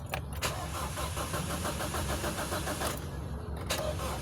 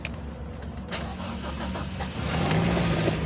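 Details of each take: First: Car rescued in San Miguel, Bulacan, scanner not reading, throttle butterfly opening: starter cranks at a steady rapid chug, pauses, cranks again, never catches; crank no-start traced to a blown fuse. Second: Vehicle that would not start, after replacing a blown 15 A fuse: quiet, then engine catches after about two seconds and settles into a steady even idle; clean start.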